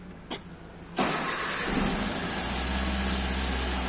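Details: 2005 first-generation Toyota Avanza after repair and clearing of EFI trouble codes: starter cranks briefly, engine catches cleanly in about a second and settles into a smooth, steady idle; healthy start, no trouble codes.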